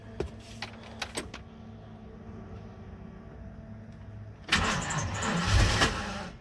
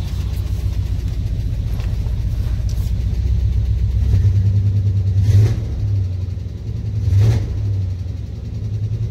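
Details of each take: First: Truck with a crankshaft position sensor code, before replacing the sensor: a few handling clicks, a pause, then a long crank before it catches and rises; hard start, with a shaky run afterward. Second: Truck after crank position sensor replacement, throttle blips from idle: deep steady idle with clean rises and falls, no stumble; running much better, fixed.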